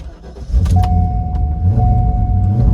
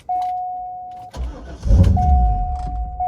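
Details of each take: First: 1990s Corvette C5 with a manual LS1, unused for ages, after a third replacement PCM was fitted: the engine catches about half a second in and settles into a steady, deep V8 idle with no stumble. The first successful start, running fine. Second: 1990s Corvette C5 with a manual LS1, unused for ages, after a third replacement PCM was fitted and codes were cleared: a warning chime repeats, then a short burst of cranking dies without the engine catching. The owner suspects the crank sensor.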